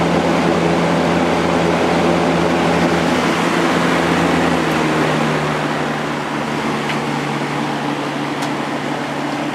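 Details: Vintage Kel Aire model 7000 box fan with a 3-speed Marco/McMillan motor, running on high after the motor was cleaned and oiled and the blade, grills and frame were washed. A steady, even hum with a smooth rush of air and no ticking or rattle; it runs clean.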